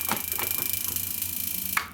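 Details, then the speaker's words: Neotec NT-2501 25" arcade monitor chassis under repair: fast even ticking about twenty per second with faint high whistle, from brightness too high and flyback screen pot found at three-quarter; brightness, contrast and screen pot then turned down. "Okay, well, yeah, on these Neotecs, if you have the brightness up too high, or any of the drive pots for the colors up too high, it'll do that noise and flickering and things like that."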